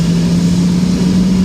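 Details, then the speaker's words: Brand-new three-phase Oliver 50 gravity table, fans being brought back up to speed in an active shop: even, low, steady hum with no rattle or scrape; normal fan motor hum. "this unit is powered by three-phase power unit it just hums right along there are no irregular noises it's an all round nice unit"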